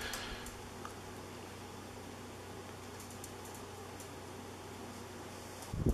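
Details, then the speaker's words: 1980s Moss WF Series 132 cm polished-brass ceiling fan, made in Hong Kong (speeds est. 55/120/160 rpm), one of the quieter units: soft steady low hum with gentle airy whoosh, no rattle or buzz; runs smoothly, moving plenty of air. "it blows an excellent amount of air that's why i don't i don't really need it to go so much faster than this it's already a lot of air"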